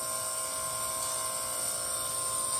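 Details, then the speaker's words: Scotsman ice machine in freeze cycle after electrical repairs, slow to make ice: thin steady high whistle over quiet hum as high-pressure superheated gas leaks into the low side through the hot gas solenoid valve, line at 107°F instead of cold. "Also, you can hear that like whistling noise. That's the sound of really high pressure superheated gas getting back into the low side. And that's happening because of this solenoid valve."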